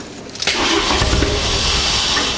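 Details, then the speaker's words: MK2 Golf GTI with 1.8 turbo swap and newly converted wiring loom, on jump start with some throttle: starter catches, then uneven roar and splutter that never settles to idle, and it stalls; running far better than with the previous ECU. "But that is so good compared to what we had before when we had the Qang ECU. we've actually got is spluttering."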